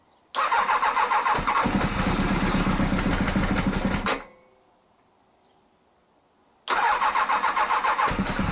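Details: Honda CBR1000F after fixing a dead cylinder that left it on three: engine catches and runs a few seconds with a fast, even beat, stops, then restarts just as smoothly; all four cylinders firing; small oil leak remains.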